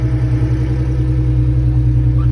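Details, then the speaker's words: 2003 Ford Mustang 3.8 V6 at steady idle after fixing a cranking screeching noise: smooth, even low hum with no screech or squeal; engine sounds healthy. "As you can tell, I finally fixed the sound. The sound finally went away. The car sounds"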